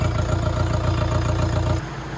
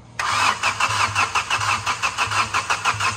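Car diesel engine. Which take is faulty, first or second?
second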